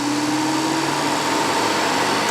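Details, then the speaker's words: Radiator cooling fan switched on by an OBD2 scanner's active test: it spins up to a smooth, steady whoosh with an even hum and no rattle or scraping; it runs normally. "den går ju igång fint här inne."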